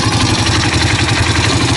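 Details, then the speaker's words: 2005 Honda CRF230F single-cylinder dirt bike idling after carburetor cleaning: loose metallic clatter over the thumping beat, heard from the clutch side and checked while pulling the clutch; suspected clutch chatter, a pretty good amount. "Hear that? Clutch chatter. Let me bring you down here. You can listen to the clutch. I have a suspicion it's got some chatter."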